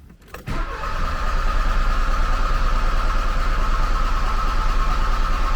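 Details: 1979 Porsche 924 after fuel-line work, a new accumulator, a cleaned cold start valve and cleaned plugs: steady, even cranking at about three turns a second that never fires. It cranks but won't start; the owner suspects the cold start system, unconfirmed.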